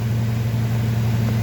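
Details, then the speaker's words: 2005 Ford F250 6.8L Triton V10 3-valve at 599,000 miles that won't accelerate: deep, slightly uneven idle with a shake from a misfire. Code P0354 points to the cylinder 4 ignition coil circuit. "whoa look at there 599 000 miles she definitely got a miss"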